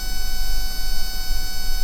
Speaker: Here's a better demo of the buzzing noise that's coming through, and you can see some spikes there in the spectrum.